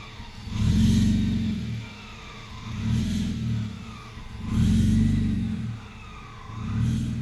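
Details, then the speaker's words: Supercharged M54 2.5i BMW Z3, surging idle after parking in the garage, recorded on a phone: it rises and sags about every two seconds, near stalling; the owner thinks it runs rich, and a P0102 MAF circuit low code later appeared. "and it seems to be rich at that point, so it's not getting enough air, or, you know, obviously too much fuel."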